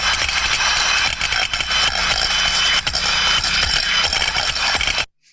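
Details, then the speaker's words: Free float steam trap heard through ultrasound: steady turbulent flow, rising and falling slightly, with rattling metallic taps from the floating ball inside; normal, healthy operation. "we can hear that we can hear that rattling around off the of the ball flow inside it's a free float trap and behind that we can hear that turbulence and it's always there slightly up and down"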